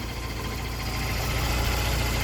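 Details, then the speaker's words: 1993 BMW E36 316i sedan, M43 1.6 chain-driven engine, 102 hp, fully rebuilt with a 1.8 IS intake, cast-iron intake and block, cooling system redone, no leaks: smooth, even idle with a steady low hum and no knocks, ticks or squeals. Normal idle. "L-am pornit să-l auziți cât de bine se aude. N-are pic de scurgeri, a fost rezolvat în mare parte tot."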